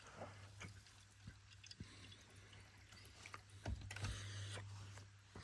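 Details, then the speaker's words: Boiler central heating circulating pump started on demand: low steady hum with faint water trickling through pipes, pump running and moving freer; normal, though gas valve suspected not staying open. "Can you hear that motoring over? The pump running, which must be up. I put down somewhere. It's definitely running. It's a good sign."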